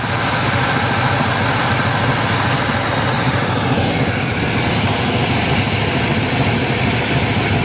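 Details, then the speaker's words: 1979 GMC Caballero V8 sitting eight years, revived: deep, even idle with steady rumble, no misses, knocks or ticks, alternator charging; mechanical fuel pump found leaking afterward. "Listen to that, guys. Listen to her purr."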